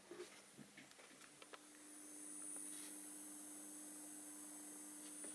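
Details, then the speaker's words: Almost new, fully charged APC BX950 (Back-UPS 950VA) UPS switched on: a few faint clicks, then a steady low electrical buzz with thin high whine, recorded from camera-top mic; too noisy for bedroom use. "here you hear this this buzzing i mean this is not something you want next to your head when you are you know the computer is close uh to your bed"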